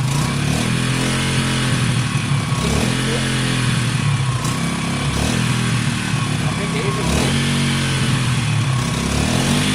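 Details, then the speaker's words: Wk RT 125 motorcycle with new top end, idling on choke after refit: steady, even, quiet single-cylinder putter with no knocks or rattles; clutch not selecting gear, suspected adjustment; normal idle. "okay guys as you can hear it sounds great it's very quiet it's smooth the choke is on at the moment um which is fine"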